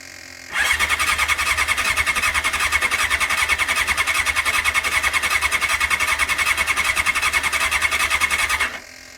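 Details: 1989 Honda CBR600 restoration with cleaned carbs, choke on: starter spins at a steady chug for about eight seconds with no firing; fuel was not properly turned on.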